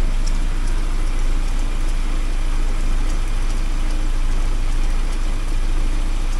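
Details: 1979 Porsche 924 after new motor mounts and warm-up regulator work, warm, fuel pressure holding 3.2 vs 3.4 spec: steady even low rumble, unchanging note, no knocks or misses; runs very nicely; normal warm idle.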